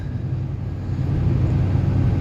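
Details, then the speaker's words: LBZ Duramax diesel truck cruising through town after a 5-inch straight-pipe exhaust install, joints checked with no exhaust leaks: low smooth even rumble, quiet in the cab, no drone or leak ticking; normal quiet cruise. "So, just cruising through town now. Nice and quiet."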